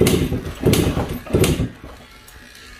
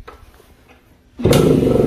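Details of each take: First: Suzuki AX100 (100cc) won't start despite new ignition coil and other parts: repeated kick-start thumps with no firing, weak spark traced to ignition-switch wire shorting and robbing spark. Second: Suzuki AX100 two-stroke motorcycle that died and wouldn't restart despite new ignition coil; with kill-switch wire disconnected, one kick and it fires immediately, settling into a steady, even two-stroke run: normal start.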